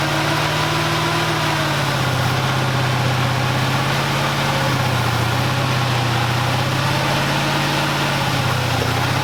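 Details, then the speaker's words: Rebuilt 1965 Mustang V8 just timed, known vacuum issue: uneven, wavering beat that sags and recovers while moving under its own power; will not idle but will run, cause unclear. "well guys it is moving kind of it will not idle but it will run"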